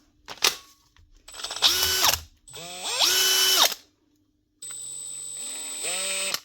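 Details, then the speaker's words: Makita DHP481 cordless drill after regreasing a bone-dry gearbox that had sounded rough: short trigger bursts spin up to a smooth, even whir and wind down cleanly, no grinding or rattle; gearbox now quiet and healthy. "Listen to that. That's some difference. That's exactly what it was. Gearbox is just bone dry, causing it to sound very rough."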